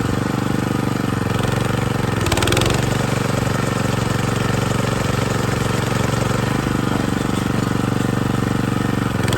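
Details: John Deere 220B reel mower after replacing sprocket and chains inside transmission housing, previously noisy when engaging reel: small engine runs smooth and even with steady idle, no clatter or grinding from drive.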